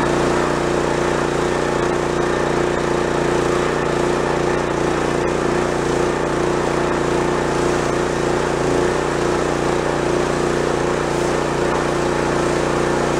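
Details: Non-running pressure washer small single-cylinder engine with pull-start kickback, after tune-up and fix: runs steady and even at constant speed, no kickback or stumbling; possible pressure relief valve issue remains to check.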